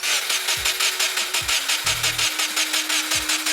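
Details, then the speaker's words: Crashed Subaru WRX: relays click, oil light goes out with oil pressure, fuel heard ticking; even cranking about three beats a second with a faint tick beneath but no firing, no spark. Manual-conversion ECU pin and cam angle sensor unplugged are being checked. "I can hear fuel. I think we've got fuel, but it sounds like we don't have spark."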